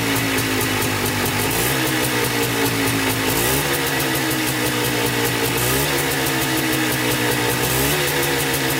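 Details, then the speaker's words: Polaris Trailblazer 250 two-stroke quad with new cheap top-end kit, second break-in run from cold, about five minutes: fast idle buzz, pitch rising and falling smoothly with throttle blips; even, healthy running. "let's do the second break-in it's been sitting so it's cold to the touch now we're going to start it up and let it run for about five minutes flipping the throttle"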